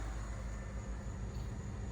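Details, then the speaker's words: Cadillac SRX after its code was cleared: smooth, even low rumble with no stumble; no codes and no misfire, though a slight vacuum leak is still heard. "It's running perfect. No misfire."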